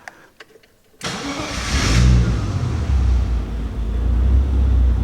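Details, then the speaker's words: BMW E30 325i M20B25 turbo, cold start after sending cold-start tune changes in Tuner Studio: brief crank, catches at once and settles into steady, even fast idle with no stumbling; starts much nicer, clean cold start. "that started up a lot nicer with those cold start changes that I made."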